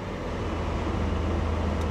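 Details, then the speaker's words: 2007 Lexus RX 350 with 211,889 miles at an auction yard in freezing, windy weather: the engine settles into a steady low idle rumble with no knocks, misses or surging, and runs great. Normal idle. "That's what I'm talking about. Man, it runs great."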